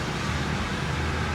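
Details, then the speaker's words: Welded rear differential in a newly bought car, tight low-speed spiral turn. A steady engine drone with choppy low-end judder as the rear tires scrub, skip and hop; the owner feels it stresses the diff and wants an LSD instead. "like in tight spaces or tight turns the car [ __ ] hops and it's just i feel like it puts stress on the diff"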